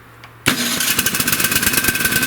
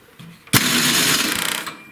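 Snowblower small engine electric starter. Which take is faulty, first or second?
second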